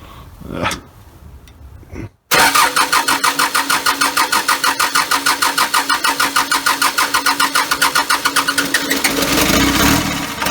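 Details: First start of a freshly built engine, cold, low idle, extra fuel needed: cranks, catches after a brief pause and settles into a steady even beat of about three pulses a second, running cleanly.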